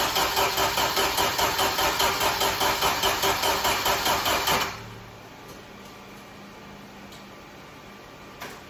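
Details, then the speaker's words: 1995 Jeep Wrangler YJ, engine sitting 18 months, start attempt: steady rhythmic cranking about two and a half turns per second that never catches. Spark plugs come out dry with no fuel; crank-no-start, cause not confirmed. "No dice. Let's take out the plug and see if we got any fuel in it now."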